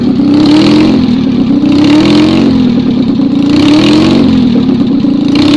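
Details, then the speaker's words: Rebuilt Citroën 2CV twin, 652cc conversion with a 123 ignition fitted, running with no exhaust on a not-cold day. It gives a crisp, even bark rising and falling with each throttle blip: it runs and revs cleanly, deemed a success. "I think we can call that success"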